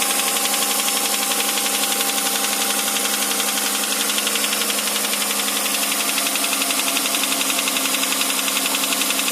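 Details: 2008 Hyundai Santa Fe 2.7 engine knock: steady, even, sharp metallic ticking at roughly four per second riding on the idle; source unclear.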